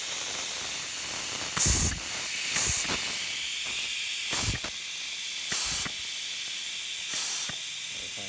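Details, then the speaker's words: Allis Chalmers 190XT Power Director hi-low clutch pack, air applied by rubber-tipped hose at the control valve. Tractor has high range but no low range despite a new Power Director. Short sharp air hisses cut off cleanly with no steady leak; clutch closes and holds pressure. "We'll watch our clutch. And I'm just going to apply pressure, and you can see that clutch pack close up."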